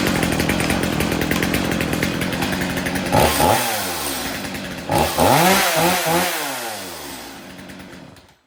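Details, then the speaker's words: Stihl MS250C chainsaw, probably flooded. After a new spark plug, a cleaned air filter and fresh fuel, the two-stroke revs up cleanly twice and holds a strong steady buzz before shutting off, with no misfire or bogging. It runs normally. "you see me start it it starts excellent it runs excellent just you got to have it in the on position to start it as you've seen there I do"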